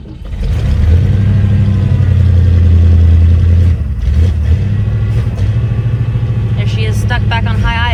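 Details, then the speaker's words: 1959 Cadillac at a cold start: loud, deep drone at a fast, slightly uneven idle that never settles. Stuck on high idle and a little rough; the growl is likely a worn power steering pump. "Runs fantastic, but like I said, she likes to run on high idle."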